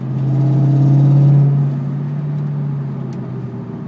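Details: 2002 Ford Mustang GT V8 revving then settling: deep rumble with a raspy, low puffing edge to the exhaust note; exhaust leak.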